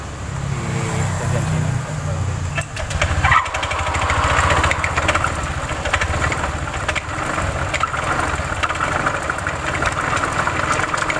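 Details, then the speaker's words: Automatic scooter running with dense rattling clatter and grinding from the CVT, caused by a damaged drive belt and failed rear pulley bearing due to a worn roller housing. "suaranya mengerikan sekali"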